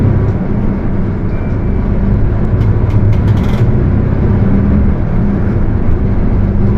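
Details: Mercedes-Benz OF 1721 bus, Torino S body (Viação Estrela 100.141), recorded inside the moving bus: a steady deep drone holds under the engine noise; the differential is roaring.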